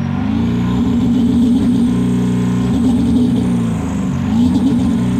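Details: Ford 7.3 PowerStroke diesel floored, blowing blue smoke: loud full-throttle drone that stumbles and wavers unevenly instead of pulling clean; misfire under acceleration.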